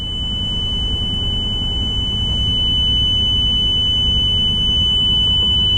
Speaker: you hear that horrible horrible beeping noise what that means the jacks are down the key is in the ignition the system is trying to prevent you from starting the vehicle